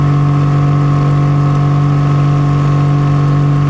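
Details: Nissan Pathfinder 4.0 L V6 at idle with a steady rhythm and a faint irregular stumble. Misfire traced to cylinder 5, which stays dead after a coil swap; plug or injector suspected. Engine misfire.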